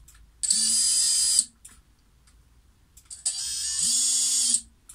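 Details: Xing 2207 brushless FPV quad motor, two brief spin-ups before bearing replacement: shrill, gritty whine over a rising motor tone, a rough rasp; worn motor bearings, to be replaced with 684ZZ 9x4x4 bearings.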